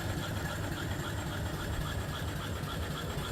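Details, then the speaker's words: Upside-down 1880s-style 5 HP steam engine, exhaust up the stack; even quick chuffing, no knocks, big flywheel runs true. "The big old flywheel runs real true. Just beautiful."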